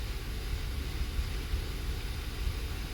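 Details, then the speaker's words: 2015 Kia Sorento 3.3 GDI, warm idle entering closed loop: low rumble stumbling with uneven, dropping pulses; bank 2 misfire (P0300, P0304, P0151) caused by a lazy oxygen sensor. "Here's the misfire screen, and as it goes into closed loop, that'll start misfiring on this bank. It takes it a bit."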